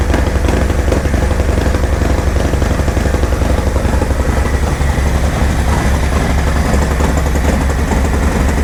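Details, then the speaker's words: 2024 Harley-Davidson Road Glide, gen 2 Milwaukee-Eight, ice-cold first start after a Zippers 534 cam change: a loud, deep, choppy lope about twice a second, no ticking or leaks; some smoke from spilled oil burning off. "Noisy up here, sounds really good. Sucking a lot of air. Oh, chop for me, baby, chop. No leaks."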